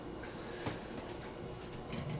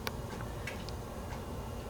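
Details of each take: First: 1960s Revere UrbanLite mini streetlight, hot after running; sparse irregular metallic ticks in a quiet room as the hot housing expands and contracts, heard just before switch-off. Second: 1960s Revere UrbanLite mini streetlight with incandescent lamp at full brightness: quiet room with scattered sharp irregular ticks as the hot metal housing expands; normal.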